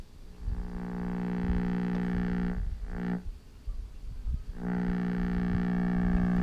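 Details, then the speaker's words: Vintage Westinghouse clock radio, circa 1955-57, receiving a local AM station: steady low buzzing drone under the audio, persisting as program drops; mains hum, bad filter capacitors suspected. "our station that you were hearing before on this one sounds like we got bad filters"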